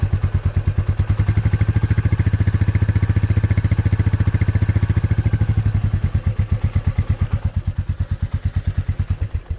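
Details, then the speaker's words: Royal Enfield Meteor 350 idling while standing after a service center oiled the rear and tightened the chain: even single-cylinder thump with no rear rattle or scraping; the earlier rear brake noise is gone. "यार फिलहाल मेरे को तो अपनी bike में बिल्कुल भी आवाज़ नहीं लग रही, क्योंकि जिस दिन मैं सर्विस सेंटर पे गया था उस दिन में उन्होंने मेरी बाइक पे ज़्यादा कुछ नहीं किया था, सिर्फ ऑयलिंग करी थी पीछे की साइड और चैन टाइट करी थी, जिस वजह से मेरी आवाज़ बिल्कुल चली गई थी।"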